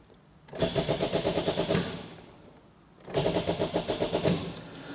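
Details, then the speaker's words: 1979 Camaro Gen 2 Berlinetta, rarely driven, battery with cut-off switch; dash and radio work, but two slow, labored cranking attempts, about four beats a second, never starts; low battery voltage suspected, battery then replaced. "für mich ganz klar nach zu wenig Betriebsspannung. Bedeutet, Ich wechsle jetzt einmal die Batterie."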